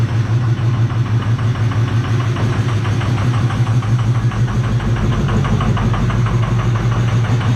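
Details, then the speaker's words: 2005 Ford 6.0 Powerstroke diesel just started on a new 6.4 starter: idle with a loud, sharp, raw chuff on every firing pulse because the exhaust came disconnected at the downpipe; engine shut off quickly. "but we shut it off really quick because i don't know mike it might try to get down there and look at that exhaust real quick because it came disconnected at the downpipe"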